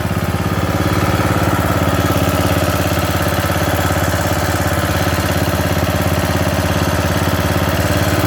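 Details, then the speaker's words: Bolens riding mower, single-cylinder, gravity-fed fuel with a screen filter, after new carburetor and new starter; the starter bendix still sometimes jams. Even thump about 3.5 per second at idle, no misses or knocks; runs good, not smoking. "i would say that it runs good it sounds good it's not smoking"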